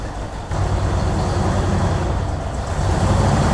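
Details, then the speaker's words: 1964 Ford Thunderbird V8 at idle, about 5.5 V at coil: deep rumble with uneven, lumpy beat and occasional stumbles; rough running and missing, possibly from bad vacuum leak at carburetor-to-intake spacer gasket, not confirmed; oil pressure a little low. "it's not real bad but it's not real good either she does run though so that's cool but it definitely sounds like there's a bit of a misfire going on"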